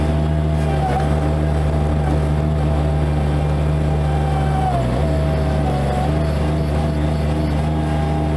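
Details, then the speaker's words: Bobcat MT85 mini track loader under load with a full bucket and in a particular turn, not when empty; steady engine drone with a thin, sustained squeal; belt looks sound and tight, tensioner suspected; drive belt squeal from worn tensioner. "Alright, so that awful squeaking happens only under a load. It doesn't happen when the bucket's empty."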